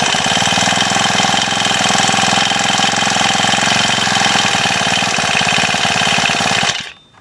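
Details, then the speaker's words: Honda FG110 tiller, small 4-stroke engine, cold day, not warmed up. Fast, steady idle with an even beat, then cut off. Normal running while cold. "Yeah, you get the point. I'm not going to sit here all day and let it warm up, but It's a cool little tiller."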